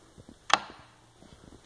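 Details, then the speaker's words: Hartman A700A0-6 aircraft reverse current relay bench test, about 27.5 V supplied, test light applied as load at battery terminal: one sharp, solid clunk as contacts pull in cleanly; normal relay engagement, relay working properly. "so you will have some current draw at the battery terminal and that's all that's needed so you'll hear the chunk now as i apply this test light here"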